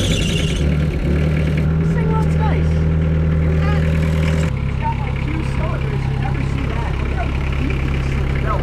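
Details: Cheap used excavator diesel, started after glow heat: deep, even chug holding steady at idle, with no misses or knocking and a small shift in note partway; running fine.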